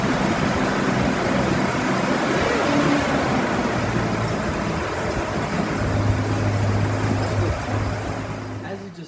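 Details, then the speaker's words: Toyota FJ45 petrol engine running for the first time in three or four years after fuel tank, lines and spark plugs were refitted; rough-edged note holding constant speed before easing off: running normally. "the car now runs it's been three or four years at least since i've heard this thing run"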